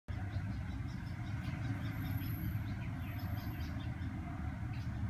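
The five-cylinder engine runs with a low, lumpy, uneven rumble and faint irregular ticking, consistent with a misfire at idle.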